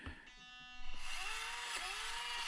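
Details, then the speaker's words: Orlandoo OH32P02 1/32 Toyota crawler at minimum crawl speed with the stock Orlandoo ESC: a thin, high, wavering whine over the small motor, a noisy speed controller at low throttle. "now i will show you my index finger in the tacoma you hear it's super noisy esc"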